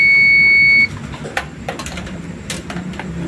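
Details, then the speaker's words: Sanken bottom-load water dispenser with a no-water-rise fault: the water level float switch is tested with a continuity meter. A steady high beep cuts off cleanly as the float rises, leaving handling clicks, so the float switch works properly. "Saat lampunya naik, itu suaranya berhenti, berarti bagus. Dan memang cara kerjanya pada saat pelampung naik itu harusnya berhenti. Nah, kalau pelampungnya turun, dia bunyi."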